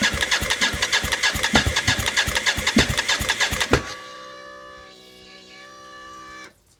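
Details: BMW K75 cafe racer custom, first start attempts after ignition rewiring, fuel at pressure, plenum top not closed: starter churns about three turns a second for nearly four seconds, never catches, winds down. Owner suspects air intake or running low on fuel.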